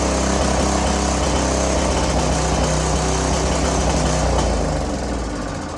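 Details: Curb-found greasy string trimmer, small single-cylinder engine with oil previously in cylinder and intake, running fast with a steady even putter fading slightly at the end, smoking from the burning oil; runs cleanly, normal running.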